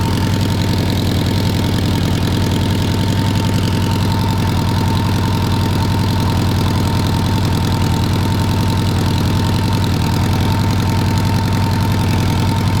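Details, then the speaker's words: 1985 Honda GL1200 Goldwing flat-four started stone cold on choke after welding a patch over a hole in the left header. Steady low quiet idle without exhaust puffing; a slight leak may still be felt. Normal idle. "Definitely an improvement. Very quiet now. Very quiet. That's what we were going for is quiet. not leaking."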